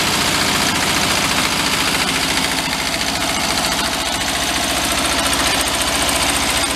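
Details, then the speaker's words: 1973 Karmann Ghia barn find, just revived, at idle: fast fairly regular knock about three to four per second over a rough idle. Hand-spun, it clanks about twice per rotation. Internal knock, cause not yet found. "That sounds awful. I'm not going to start it, but just by spinning it, you can hear the clank and the knock in it. And it seems like it's doing it twice a rotation."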